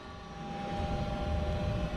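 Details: Goodman 95% AFUE gas furnace, first startup of the heating season; steady low fan rumble with a faint constant hum building evenly over two seconds before the burner lights: normal inducer pre-purge.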